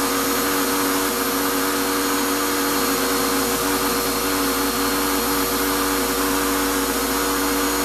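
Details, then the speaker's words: Shop-Vac vacuuming coarse grit from a rock tumbler: steady high whine with rough, gritty edge; owner says dust pulled through it before adding a dust separator ruined the motor, it shouldn't make these sounds and gives very little suction. Vacuum motor damage. "well from the sound of it it sounds like the last time I pulled away the dust through my shot back has ruined my shot back it's not I should not be making those sounds and I'm getting very little suction"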